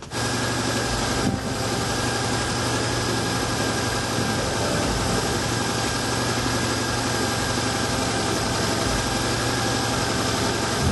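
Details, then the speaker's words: ZAZ Tavria/Slavuta, which had been shaking from a dirty knock sensor, after cleaning and repairing the sensor connector and clearing codes: steady, even idle with a smooth low hum, no knocks, misses or surging; no check-engine light. "Dhe kontrolloni parametrat e motorit. Siç mund ta shihni, gjithçka funksionon pa probleme."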